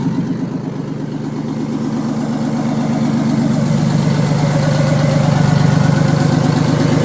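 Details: Old Detroit Diesel in an abandoned vintage GMC truck, just after the stuck-shut emergency air shutoff valve on the blower was freed: a deep, steady, even drone rising slightly in speed, no misses or knocks, running properly.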